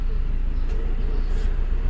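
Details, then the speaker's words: Honda Civic petrol engine after replacing the faulty ignition coil for misfire and vibration: smooth, even low idle with AC on, no stumble or shake; the misfire is cured and the engine runs healthy. "जो हमारा engine missing का problem था वो solve हो गया है जो हमारा धड़ धड़ धड़ धड़ करने का था"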